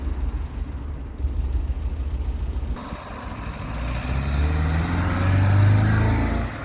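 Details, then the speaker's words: 1990 Ford Fiesta after a new air filter, a cleaned mushroom valve and carburettor adjustment: engine fires, settles and revs smoothly with an even note and no misses; now running properly. "that sounds better anyway"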